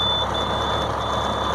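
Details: International 4300 DT466 crane truck with air brakes and about 113,000 miles, started after a sub-zero cold snap: a diesel idle with a steady high-pitched low-air-pressure warning buzzer while brake air builds.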